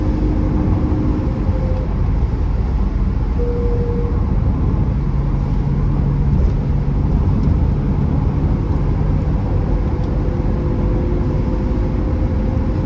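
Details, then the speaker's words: 1982 BMW E21 320 two-door, straight six with 3-speed automatic, very low mileage, on road test: smooth, even six-cylinder drone pulling steadily under acceleration with road and wind noise; engine sounds healthy, slightly under-geared. "You can actually hear that sort of the beautifully sonorous straight six making a nice sound in front of you. A little bit under gear with the 3-speed automatic box, but It is now over 40 years old, so things have moved on a bit."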